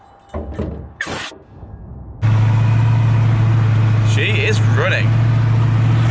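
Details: Ford Mustang after cooling/overheating repair with new condenser fitted, started for a test; after handling noise the engine catches and settles into a steady, even low idle with no stumble or knock; runs healthy.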